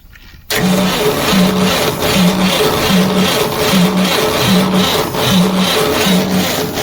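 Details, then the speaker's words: Cement bulker diesel that won't start: the starter drags slowly with heavy, uneven compression pulses and never fires, the starter taking load; it is then opened and checked. "नहीं हो रहा है, self load ले रहा है। सेल्फ खोल के चेक करते हैं।"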